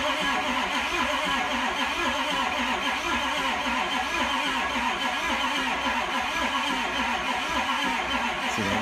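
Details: 2004 Ford 6.0 Powerstroke diesel, crank no start: steady slow cranking on weak batteries without catching, sounding as if missing; injectors not torqued by previous installer, crush washers leaking combustion pressure, low compression on some cylinders.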